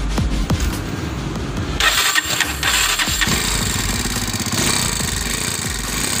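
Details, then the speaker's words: Honda Tiger starting, then a rough metallic chatter over the idle, before repair; the timing chain tensioner no longer presses the chain, and the valves are to be checked too. Timing chain tensioner rattle. "i ada Honda Tiger New masalah di sepeda motor tersebut yaitu adalah suara mesinnya kasar setelah sudah kita analisa penyebab masalah suara kasarnya itu terjadi pada Tensionernya, tensionernya yang mulai sudah tidak bisa menekan ranti timing nya lagi,"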